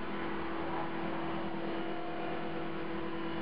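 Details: CopterX RC helicopter after a crash: steady, mid-pitched buzz at constant motor speed with blades out of track; owner suspects bent blades, hopes the blade holder or feathering shaft isn't bent.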